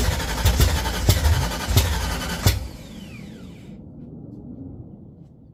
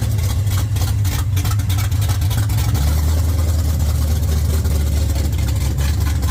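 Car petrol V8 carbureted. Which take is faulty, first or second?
first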